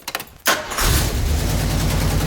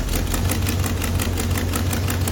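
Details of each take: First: 1977 Jeep CJ-7 with rebuilt AMC 304 V8 and Holley carb, engine at operating temperature after float adjustment: starts after a short crank into a steady, even idle with no stumbling or hunting, possibly idling slightly high; normal idle. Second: Freshly rebuilt AMC 304 V8 in a '77 Jeep CJ-7, idling after carb mixture adjustment: a quick, sharp ticking puff over the low rumble from an exhaust leak at the stock Fel-Pro header gaskets, worse on one side.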